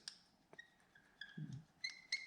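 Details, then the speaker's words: Heli-coils stacked in a deep stripped bolt hole, turned in with a few drops of thread locker: faint, irregular metallic squeaks and ticks as the insert slips and jumps where the tap's threads run out. "I hear it kind of slipping. I just hear it kind of"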